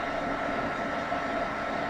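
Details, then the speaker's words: Two generic 120 mm case fans on a home server running at 50%: steady airy whoosh with a faint hum; they get much louder at 100%, before an upgrade to Noctua Redux fans. "when these babies crank up to a hundred percent they are really really loud"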